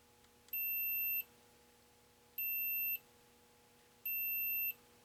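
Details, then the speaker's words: 1981 Bally Midway Omega Race PCB: multimeter continuity beeps, three clean high beeps on the pins of a bad socket, checking the shared bus between two ROMs; continuity confirmed on each pin checked. "but that's the beep you can hear the beep you know maybe I should put this right here or something if I that might be a little closer okay good just going down down the pins"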